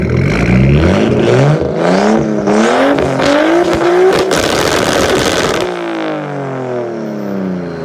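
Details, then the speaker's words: 1993 Nissan Skyline GTS-T, RB-series turbo six with MaxpeedingRods turbo at 15 psi, no tune, recorded from the back: clean repeated revs rising and falling with a turbo whistle on the drop, "sounds like a jet"; normal turbo engine revving. "i think sounds like a freaking jet when the school's down"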